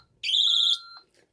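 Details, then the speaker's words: ADT/Tyco Safewatch Pro 3000EN panel with RX7C sounder, tested by triggering a System Sensor i3 2W-B two-wire photoelectric smoke detector: one sharp high beep, then a softer tone, as the panel alarms on fire zone 1 (smoke). "What that means is fire zone 1. Zone 1 is a smoke detector."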